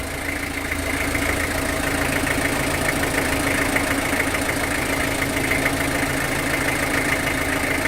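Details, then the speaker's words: Long-sitting old truck started on lighter gas, after spraying into engine: steady idle with faint regular knock about three times a second, softer than before but still there; cause unconfirmed. "But it's definitely not knocking as bad as it was."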